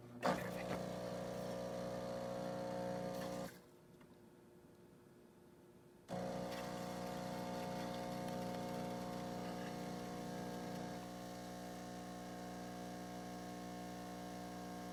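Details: Jura Impressa F7 espresso machine after tune-up for error 8 (stuck infuser, relubricated, deep cleaned), pulling espresso shot: steady pump hum, brief quiet pause, then even brewing run to the end, two-ounce shot; normal brewing.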